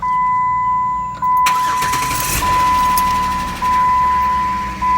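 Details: 2008 Jeep Wrangler JK that clicked and wouldn't start without a jump, just after installing the battery: a steady chime, then the engine catches almost at once and settles into an even idle; clean, healthy start.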